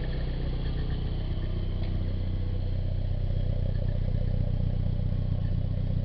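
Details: Nissan 240SX, stock engine with 160,000 miles, idling: light, fairly even metallic rattle about four per second over the low hum; owner unsure whether timing chain hitting the guide or water pump noise.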